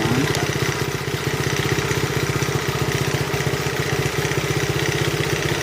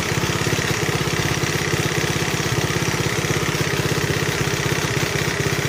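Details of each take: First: 1971 Honda CT70 single, nearly 50 years old, first running after restoration: quick, even putter at steady idle with no misses, knocks or hunting; valves starting to be faintly audible, needing adjustment. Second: 1971 Honda CT70 mini bike, nearly 50 years old, recently revived: small single purring along at a steady idle with a light, quick valve tick on top; valve clearances need adjusting.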